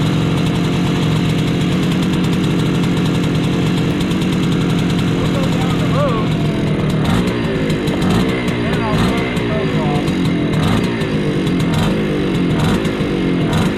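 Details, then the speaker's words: Bultaco Metralla two-stroke street motorcycle, warmed up, choke off, riding through second and third gear: crisp, even crackle that pulls cleanly as revs climb, no misfire; runs well. "this runs good"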